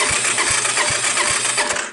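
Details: Vintage Honda TRX250 ATV, roughly 35-40 years old, on a jump pack after splicing the wire harness and replacing the key and handlebar switches: fast whirring electric starter cranks with even thumps about 2.5 per second, then stops; normal cranking.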